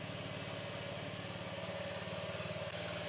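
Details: 2022 Honda Ruckus small single idling after a full service (oil change, drive belt replacement, valve adjustment), warming up before a test ride: soft, even putter at low steady idle, no knocks or rattles, very quiet; normal idle.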